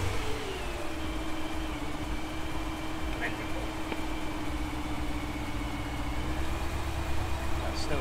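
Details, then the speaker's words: BMW E92 M3 V8 at idle after all ignition coils and the cylinder 6 coil and spark plug were replaced; still lumpy, with a misfire reading on cylinder 6 (a cheaper replacement coil was the hiccup). Lumpy, uneven beat from the one-cylinder misfire. "still lumpy, isn't it? I got it to lift it. Than it was. Still saying on that number 6, not many additional."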